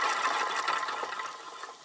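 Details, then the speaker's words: Yamaha Zuma scooter engine rebuild, new crankshaft just installed in cases, turned by hand before air leak test; smooth even whirring spin fading out with no scraping or catching, crank very free spinning and healthy. "as you can see crank is very happy very very free spinning"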